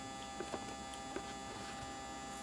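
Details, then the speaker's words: HPS grow light ballast just switched on and heating up; steady electrical buzz with a constant low hum and faint crackle, louder than the owner remembers, who hopes it fades once warm. "Now you can hear the buzzing. And it wasn't that bad before, I could swear. Hopefully it'll kind of warm up and go away."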